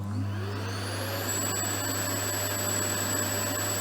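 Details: Nilfisk Elite vacuum cleaner, which made a weird noise from a clogged tube, run with the tube removed: steady, even hum with smooth high whine; normal running, confirming the clog in the tube.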